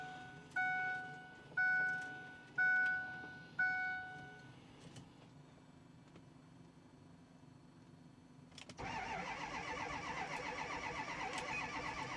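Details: 2010 Ford F350 6.4 Powerstroke diesel, about 98,000 miles, ran when parked, batteries just installed: four door chimes about a second apart, quiet, then steady starter churn that never fires; cranks but won't start, cause not yet known.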